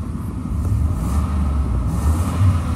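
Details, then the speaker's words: 2002 Ford E350 XL van that has likely been sitting, with original miles, revved for the engine sound. Deep, smooth rumble rising evenly with revs and no knocks, ticks or rattles: the motor sounds great. "all right let me rev it up for you so you can hear the engine"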